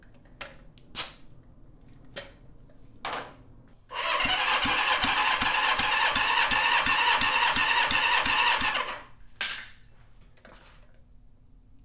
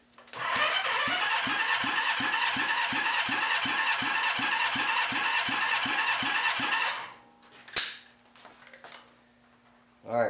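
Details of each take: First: Rebuilt Honda CB550 engine, not broken in, on the bench, oil squirted into the dry cylinders: steady cranking with even, equally strong pulses; cylinders read 160-165 PSI, healthy compression. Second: Honda CB550 motorcycle engine, compression test with gauge: steady cranking with even strokes, then the starter stops; reads 95 PSI against 170 per the manual, low compression needing a leak-down test.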